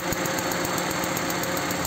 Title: Palyado na kotse? ito ang sagot dyan